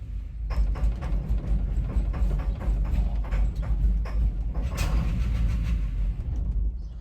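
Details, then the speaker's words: 1990 Chevy Suburban, 383 small-block V8 with a water pump issue, right after shutoff: keeps chugging in ragged, uneven low thumps for several seconds, dieseling run-on; owner suspects deposits on pistons from water that was in the engine. "it like diesels and runs on and i think that might be because uh of the water that was in the engine"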